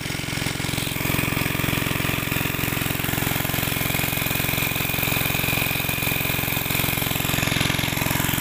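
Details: Greaves MK12 petrol/kerosene single-cylinder pumpset running steadily with even chugging, no knocks or misses; running normally.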